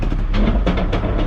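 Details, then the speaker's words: Truck with a TCM fault code: heavy diesel rumble with dull thumps as it clunks into drive; harsh engagement blamed on a TCM problem, not yet confirmed. "you hear that listen to that it clunks into gear which is exactly what our 5500 was doing um so tcm problem"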